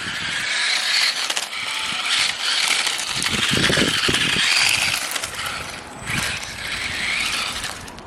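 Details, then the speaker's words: Restored 20-year-old Tamiya M-03L RC Mini Cooper, 2003 model, first proper drive test on tarmac after restoration, tyres struggling for grip; even electric whirr rising and falling with throttle, light tyre scrabble, no clicks or grinding, normal running. "okay so it works so yeah very happy with how it drives so far"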